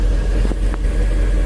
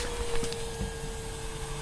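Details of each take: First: 2003 MerCruiser boat engine after no-start fixed by priming fuel to the rail, fuel pump drawing 8–9 amps, running about 15 minutes: short burst of steady low rumble with no misses or stumbles; running evenly. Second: 2003 MerCruiser boat engine, no-start: key cycled, fuel pump gives a thin steady mid-pitched whine about two seconds then cuts off, drawing about five amps; pump spinning with no fuel.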